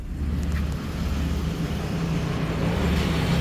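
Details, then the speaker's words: 2013 Chevrolet Express V6 van running again after over a year of no start, likely due to a blown fuse: steady, even low rumble with no knocks, misses or stumbles; normal idle. "So the vehicle is actually running. So this will be crazy if the reason why this thing has been down for over a year is because of a blown fuse."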